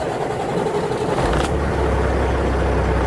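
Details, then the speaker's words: Tractor-trailer diesel restarted after a shop repair; the driver suspects a bad solenoid was fixed or a different starter fitted, and the engine tone changed. Brief crank, then it catches and settles almost immediately into a deep, steady idle. Clean start. "See, like maybe it's just a different starter, I don't know, but the entire node changed."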